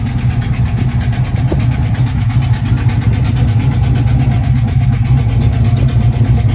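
Uneven idle with a quick, light ticking riding over the engine; could be a lifter or an exhaust leak. Cause suspected, not confirmed.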